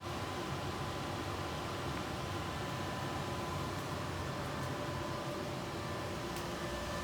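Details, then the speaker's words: About 10-year-old server-class system with many fans, very noisy: steady rushing fan roar with a faint high whine; owner later rebuilt it to quiet it. "It's a server class system that is very noisy. It's got a lot of fans in it,"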